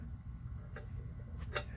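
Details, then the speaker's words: Hunter ceiling fan squeaking for about three years: low hum with sharp light ticks about once a revolution as a fan blade touches a loose wire at the top each time it comes around; owner plans to pull the wire out. "one of them fins touches her every time it comes around so hopefully if I can if I could get that thing all the way out of this"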